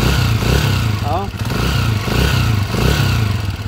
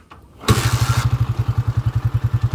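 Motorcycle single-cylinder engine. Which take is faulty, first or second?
first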